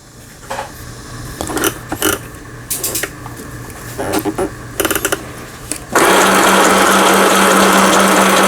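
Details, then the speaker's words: Elna Hello Kitty mini sewing machine (made in Thailand) after repair: whole needle bar support unit replaced and needle bar re-centred; pedal-driven, straight and zigzag only; loud, steady, even whir after handling knocks, no catching or knocking; normal sewing, loud because machine is small. "기계가 작다 보니까 소음도 굉장히 크고요."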